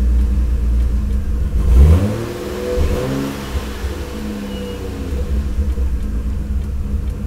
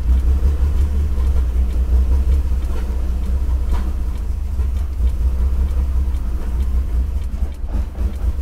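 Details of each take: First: Lexus IS300 after ECU relocation and engine harness extension: engine blips up and settles back to an even idle with no misses, knocks or rattles; normal revving. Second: Lexus IS300 on the first start after relocating the ECU to the interior and extending the engine harness, O2 sensors unconnected: low, uneven loping idle that never settles; owner feels a misfire and the exhaust smells very lean, cause unconfirmed.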